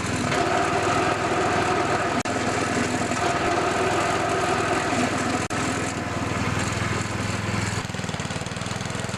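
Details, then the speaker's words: Old MTD snowblower test-run outside after replacing the belts (auger belt MTD 754-0282), belt covers still off: steady, even small-engine drone with no misses or knocks, auger turning well; normal running after repair. "so it's all fixed up the augur turned good and I'm going to put the belt cover back on"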